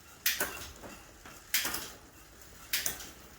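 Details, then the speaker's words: Bicycle rear derailleur after new inner gear cable and barrel-adjuster tensioning: three crisp clicks about a second apart as the chain steps cleanly onto each sprocket, no play at the lever; shifting now correct. "and that seems to be the sweet spot now just to point out i've shifted up to year one and there's no play on the lever itself"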